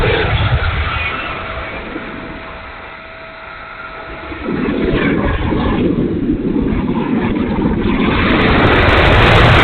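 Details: E-flite A-10 Thunderbolt II RC jet, twin 64mm electric ducted fans: thin whine fades, then fans surge into a coarse, ragged roar while spooling; motor sounds bad, rough and noisy, cause unknown.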